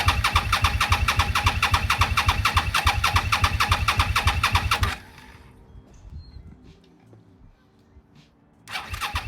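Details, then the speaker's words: 2002 Suzuki SV650 sat about 2 years in a garage, first start after revival: fast steady exhaust beat well above normal idle, then stops and restarts; idling really high, owner unsure whether it has a choke. ">> Sounds like it's idling really high. I'm not sure if there's a choke on here anywhere."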